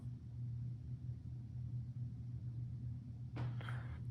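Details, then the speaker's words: Vintage Philips CD960 CD player: disc spins with only a faint steady low hum, no ticking, scraping or grinding; mechanism now nearly silent and healthy. "That sounds a lot better. Nice. We're not hearing any funny sounds. Wow, that's silent."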